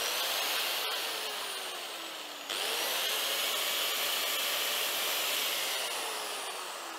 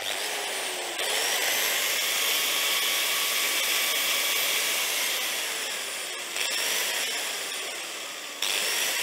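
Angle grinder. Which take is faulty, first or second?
second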